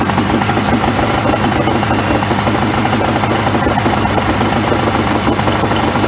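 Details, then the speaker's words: 1994 Suzuki 115 two-stroke outboard, engine hot, cover off, after a 15-minute hot soak: steady, rapid two-stroke burble holding an even idle without stumbling, where earlier it would not idle at all. "i can notice a difference in the idle because it would not idle at all earlier so uh i think we are definitely making progress"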